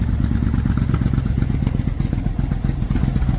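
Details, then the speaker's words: Suzuki Intruder 1400 V-twin, still fairly warm, with the rear carburetor that was not getting fuel: low, slow but even, loping idle thump with no misses; normal idle. "Pretty low idle. It's still kind of, yeah, still kind of warm."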